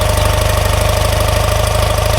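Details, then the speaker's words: BMW R90/6 motorcycle, cold start on choke; fast, even firing holds RPM high, just above the 800–1000 RPM the owner sets once warm, so the idle is about to be turned down. "That's with the choke on right now. You can hear the RPM, and it's running high. When these things are warmed up, I try to set the RPM 800 to 1000."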